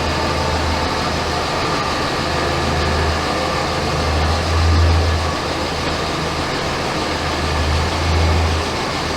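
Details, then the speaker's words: 2007 Ram 2500 5.9 Cummins diesel with G56 6-speed manual, newly installed South Bend dual disk organic clutch, idling in neutral with light steady chatter from transmission gear backlash, considered normal for this clutch. "So initially, I can hear the chatter that they talk about with the southbend clutch. And they say it comes from the gears kind of backlashing against each other while in neutral, which that doesn't really bother me."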